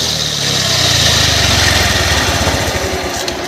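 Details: Honda Aviator/Activa scooter with loud noise from the clutch-side gearbox when running: starts and revs with a rough, growling rattle rising with engine speed; cause was a bad gearbox bearing, reached by opening the clutch cover.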